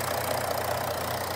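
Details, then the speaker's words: Audi A5 3.0 TDI V6 S tronic with upgraded turbo, after new clutch pack and LUK flywheel fitted, idling: steady even diesel idle, smooth low hum, no knocking or banging; healthy. "it's not got damaged fire that's working no knocking banging"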